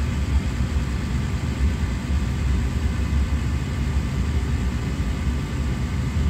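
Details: Gas furnace that was blowing cold air, after pressing in switch to reset it: steady low rumble and smooth airflow, no clicks or cutting out; gas working, switch needed resetting or replacing.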